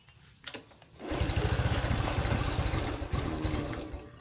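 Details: Honda Wave 110i LED (likely 2019) with an aftermarket digital dash, starting only intermittently and unrideable: engine catches and runs lumpy and uneven on throttle, fading as if about to stall; cause not yet found.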